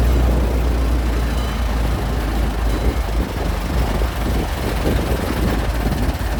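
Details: Restored 1921 American LaFrance fire engine (Licking County Fire Dept.), restoration finished, on a ride: deep, steady low rumble of a big old petrol engine running evenly, no tapping or grinding; sounds healthy.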